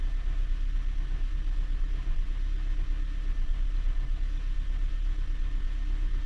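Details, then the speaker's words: Honda Jade or Toyota C-HR hybrid being checked for misfires and suspected injector flooding: the idle is currently even with no misfires, but a low, uneven rumbling rattle of a beat or two a second comes through. The transmission damper disc is rattling hard. "сейчас пока работает ровно вроде нету пропусков по зажиганию но демфер гремит ё-моё вообще жёстко брякает как не знаю что"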